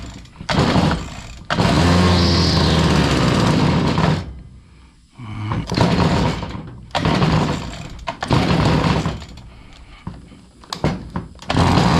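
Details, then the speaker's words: Stihl FS70R trimmer, bogging with no power from over-oiled fuel mix, after fresh fuel and reassembly: small two-stroke revs in bursts then sags and nearly dies each time; won't idle, carb needs adjusting. "got all right now it's back running but it's not idling so what we're going to have to do we're going to have to do some carb adjustments on this thing"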